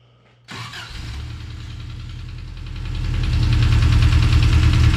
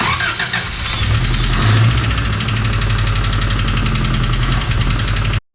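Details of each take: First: Engine in the Subaru Brat restarted after refitting oil filter and refilling oil; catches right away to a fast even idle, exhaust sounds good, no knock; normal start and idle. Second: Engine in the Subaru Brat after broken water pump bolt work, started after oil was pumped out with the oil filter left off; fast even knocking over idle from the bottom end, suspected rods; engine knocking.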